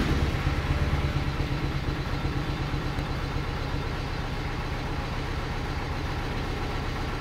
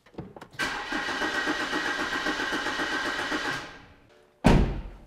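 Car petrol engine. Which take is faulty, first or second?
first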